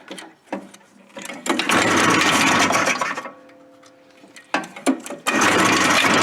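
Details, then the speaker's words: Suzuki Fury snowmobile two-stroke with long-standing ignition problems: high buzz catches in short bursts, then drops to near silence, with arcing; kill-switch wire barely touching metal grounds out and cuts the ignition. "so I was getting some shocks there that thing starts throwing the arcs and all of a sudden it starts running if you touch it completely it shuts it off completely what the heck's that"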